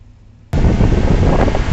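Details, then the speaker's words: Radiator cooling fan on actuation test, second relay: fan switches on into a loud steady whoosh with low rumble, running normally at high speed; low speed fails despite voltage present, fault traced to broken resistor. "നമുക്ക് fan rotate ചെയ്യുന്നുണ്ട്, അതായത് high സ്പീഡാണ് ഇപ്പോൾ rotate ചെയ്തുകൊണ്ടിരിക്കുന്നത്."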